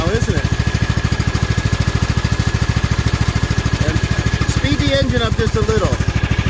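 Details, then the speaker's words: Craftsman riding mower with hydro transmission, after replacing the broken fan and refitting the previously noisy pulley: engine started and clutch let out to watch the drive turn; even, steady low idle with no rattle or squeal, much quieter now; normal running. "so if you want to fire it up Dawson and then just let it let the clutch out and we'll watch things move here so much quieter Now"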